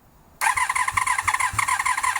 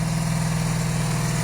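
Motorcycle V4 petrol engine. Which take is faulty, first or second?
first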